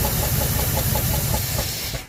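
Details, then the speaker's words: 1974 Ford F100, parked 21 years, running on carburetor-poured fuel with timing unchecked: rough idle with loud steady hiss over it until it shuts off; major intake vacuum leak. "it's a runner that's a major vacuum leaks we're gonna have to enter let me get a clamp for that so we'll quit leaking on the fuel out"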